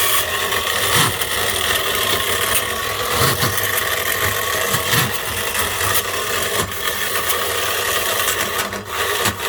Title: sewing machine motor run on 400V but had a mechanical bearing failure